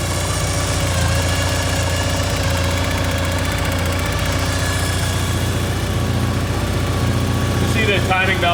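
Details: Porsche 944 after a full service (timing belts, water pump, gaskets, injector O-rings, oil): catches and settles to a steady, even idle with a smooth low rumble and no knocks or ticks. A normal idle.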